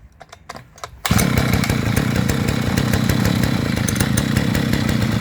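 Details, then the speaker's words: Brush cutter that fails to restart when hot: after a pull start it settles into a weak, lumpy, low idle close to stalling. Idle speed is set too low and is being raised with the carburetor idle screw. "ще за слабо Ну все молись треба було чуть-чуть більше зробити холостий хід"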